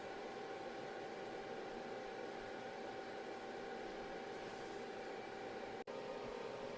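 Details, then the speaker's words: UKING ZQ02359 6x40W RGBW LED moving head, all red, green, blue and white LEDs at full output: soft even airy whoosh with faint steady hum, no rattle or bearing noise; cooling fans normal at maximum speed. "up all of the LEDs so we can hear the maximum speed of the fan, so we can get an idea of just how loud the total sound is of this fan."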